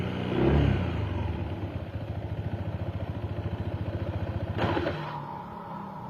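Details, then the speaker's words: Honda PCX 160 scooter after CVT service and front pulley reassembly: steady low idle with only a faint, loose knock, the earlier clattering knock much reduced. "oke sekarang udah mendingan suara klotok-klotoknya ya tidak terlalu kedengar seperti tadi"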